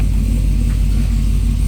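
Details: Supercharged C6 Corvette on the lift, just started after build, fuel pressure about 52–56: deep heavy V8 rumble climbing smoothly to about three thousand rpm and holding, no misses or knocks; not obnoxiously loud, healthy free rev.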